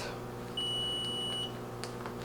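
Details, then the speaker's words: Level One Rapid Infuser fluid warmer: single high steady beep nearly a second long, the alarm indicating the unit is not yet set up and ready. "also if you do hear the beeping in the background it is just alarming letting you know that it is not set up and ready to go"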